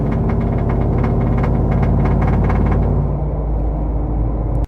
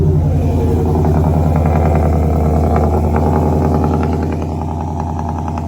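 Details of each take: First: Truck with a Boss 302 intake manifold and new injectors, accelerating hard under load: a deep drone with a loose, buzzy rattle from the back of the intake. It is absent when revved in park, so owner suspects something rattling against something. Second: Ford 5.0 V8 truck after fitting a Boss 302 intake manifold, new tune and eight reman direct injectors to fix a misfire, first start: even idle with the light 5.0 tick, no knocking or misses; normal idle.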